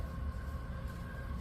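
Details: Home central air HVAC blower after DIY blower motor replacement, cooling mode: low steady hum with a faint constant tone, no rattle, wobble or scraping; blower fan spins smoothly.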